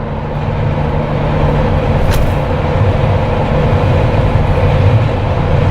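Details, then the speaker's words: Jeep Wrangler with roof light bar after noise fix, at 100 km/h on highway: steady road and wind rush with no tonal whistle from the light bar; quiet. "You can hear the wind outside, possibly like hitting the Jeep itself, because there's no aerodynamics clearly, but absolutely no whistling."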